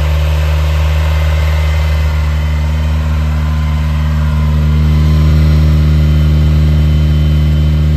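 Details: Cold start of a 1980 Ferrari 308 GTSi being recommissioned, rolled outside to start fully cold: steady even hum at a raised idle, no misses or knocks. It climbed to the mid-to-upper teens, then came back down; a normal warm-up fast idle.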